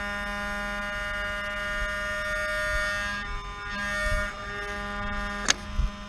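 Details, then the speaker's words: Mercedes V12 with repaired throttle bodies, ignition just switched on, engine off: steady low buzzing hum with short pauses as the throttle body runs its normal learning cycle. "ignition is on so we hear the hump it's gonna do the learning"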